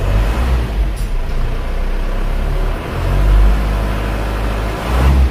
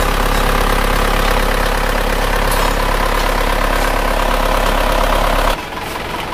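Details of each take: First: Isuzu Panther diesel just after an engine overhaul, original internals kept, first start after being slow to catch on a flat battery: steady, even low idle, very smooth with no knocks or misses, before being raised to 1000 rpm for warm-up. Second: Isuzu Panther diesel after an engine overhaul, fast warm-up idle about 1000 rpm: steady, slightly rough clatter about three knocks a second; injector test showed 2 and 3 dribbling and not atomizing, only 1 and 4 spraying well.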